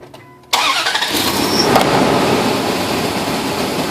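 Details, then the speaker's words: Crank sensor test: quick crank catches at once and settles into a busy, even idle, before the crank position sensor is tapped. "Wow, that was quick. I barely tapped it one time and that engine turned off."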